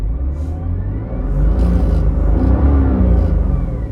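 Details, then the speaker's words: BMW M2 with DCT and polyurethane transmission mounts, about 60,000 miles, quick rev heard inside the cabin with doors closed: deep drone and buzzy rattle throughout the car from the stiff mounts. "You can hear everything rattling around. I don't have I don't even have anything in the passenger seat. This is with the doors closed."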